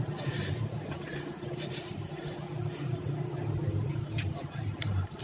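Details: BMW E46 with a hard-start problem blamed on fuel draining back in the line, after fitting an 8 mm one-way check valve in the fuel hose: low, even idle with a soft steady rumble and no misses; normal idle.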